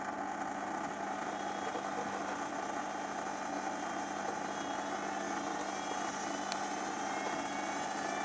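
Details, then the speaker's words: Zanussi XC FJS1225 Jet System washer, 5 kg, 2003 serial: smooth constant low hum, steady pitch, no rattles or grinding; drain pump running healthy. "Pump's fine. Huh? It's going now."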